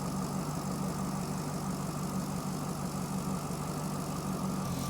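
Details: Chevrolet Corvette with a P0300 code; an in-cylinder test showed the injectors firing at the wrong time. Low idle rumble with an uneven, stumbling beat while the injector current is checked with an amp clamp; the injector waveform looks good at about 60 V peak. Cam/crank correlation is off by one tooth.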